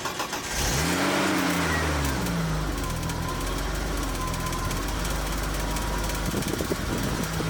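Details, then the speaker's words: BMW E30 after new SPEC stage 3 clutch and new alternator belt, having run hot when belt failed: cranks, catches quickly, flares, settles steady without knocks or squeals; some smoke, owner fears head gasket; normal start. "foreign so the car sounds good but she's blowing a little bit of smoke"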